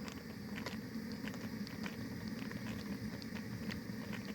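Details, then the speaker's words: Anchovy-net camping steam boiler at about 61°C: boiling rumble with irregular sharp pops and crackles from the steam outlet; mild is normal, repeated heavy knocking means burner flame too high, turn it down. "이런 소리가 이 정도 나는 건 상관없지만 이게 반복적으로 엄청 심하면 불이 너무 세다는 거예요. 불 조절을 하셔야 돼요."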